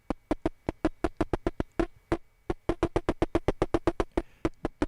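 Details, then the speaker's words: 12AU7 tube section two, with lower gain, on a tube tester built from a 1945 EMC model 205: sharp pops and crackles in uneven bursts with short gaps; vacuum tube grid noise. "we're going to check the noise now section one is okay not too bad section two it's got a lot of grid"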